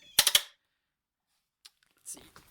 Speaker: remove the tube everything around it seems to get statically charged